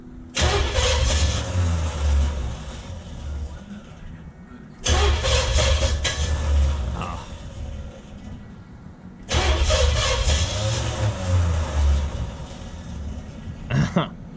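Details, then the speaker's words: Junkyard Oldsmobile 350 V8, long sitting, on an engine stand: three long cranking bursts of about four seconds each, the starter churning steadily but never catching, no fire; crank no start. "when it tries to start I just and that's what it is waiting get no fire"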